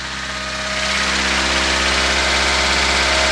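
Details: 1976 VAZ 2106 Zhiguli engine just after a full rebuild: steady idle with a light, fairly regular tapping at about three per second over the engine note, heard best from a distance away from the car. The knock's origin is unknown.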